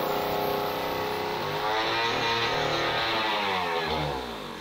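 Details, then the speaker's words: Jiffy Model 30 ice auger (about 8 in), unused for several years and last fueled with ethanol gasoline, restarted on premix with choke and prime. Loud buzzy two-stroke with wandering pitch that sags away. It runs off the carburetor and four-strokes slightly (not lean), but the idle is rough and unstable. "you can hear that kind of breaking up just a little bit that's four stroking and that means that we're not running lean"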